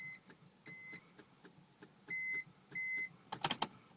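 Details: 2004 BMW 325Ci no-start: repeated two-tone beeps about every two-thirds of a second over faint ticking, then a clatter, but no cranking; cause unknown.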